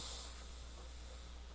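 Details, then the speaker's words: Sony cassette radio used as control unit beside a returned Crown CSC-850F, on tape at full volume: faint steady hiss over low hum, no crackle or static; normal background hiss, silent when stopped. "So it's got your standard hiss in the background. But there's no, but that's with the tape on."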